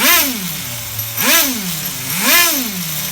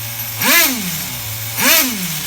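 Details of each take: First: HPI RS4 Nitro F150 RC car bench tuning: small nitro engine blipped three times, revs linger briefly before settling to idle instead of dropping immediately, the low-speed (bottom) mixture slightly rich, near race tune. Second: HPI RS4 Nitro F150 RC car engine being bench tuned after lowering the idle: two blips that drop straight back to a steady idle with no hang, a clean single-stage return to idle.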